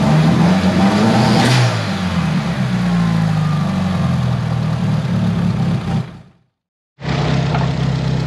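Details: Tial BOV just installed on a car started cold that morning: revs rise then sag and surge unevenly under throttle, bogging at idle; owner thinks it feels like fuel cut but smells very rich, cause unconfirmed.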